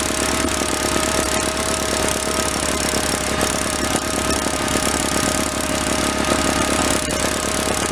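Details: 1985 Case Ingersoll 448 Hydrive garden tractor, Onan B48M/B38M twin-cylinder, warmed up: steady, even chatter at constant pace, no misses or surging; fuel now delivered, normal running.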